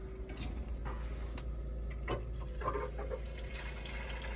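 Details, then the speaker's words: Hydronic radiant-heat manifold valve: soft trickling, rushing water sound with light drips, water apparently moving but no temperature rise in the loop; suspected flow problem. "like it's closed right or possibly moving water but we're not getting anything there"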